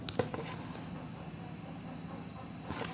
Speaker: तो जैसे कि आप सुन रहे होंगे कि कितनी बीप की आवाज़ आ रही है।